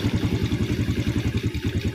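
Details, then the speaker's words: Yamaha Vega R New carbureted motorbike after fixing too-tight valve clearance and adjusting the carburetor idle: an even thumping beat of about eight pulses a second that holds steady without dying. Idle now stable. "I'll turn it down again, and the engine is about to roar, Bro, OK, yes, it's stable, it doesn't turn off"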